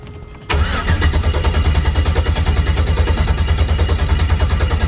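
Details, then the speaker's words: LS 5.3 V8 in a Malibu after oil pump pickup O-ring replacement for oil drain-down, priming with short starter intervals: sudden even strong cranking about three beats a second, steady and regular; healthy starter. "And then I'm gonna do short intervals so I don't burn the starter up, let it cool off for a second."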